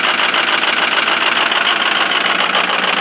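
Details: 2005 Ford 6.0 Powerstroke diesel, cold start at 17°F, injectors 1 and 5 bad: rough, uneven cold clatter with a lumpy beat about three times a second; cold idle misfire from the two faulty injectors.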